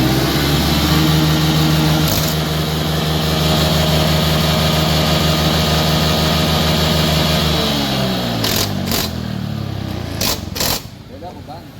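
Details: Honda Scoopy FI after a final-drive repair with a new full gear set and replaced loose pulley axle bearings, run to test: steady, even running without whine or knock, then it winds down and stops.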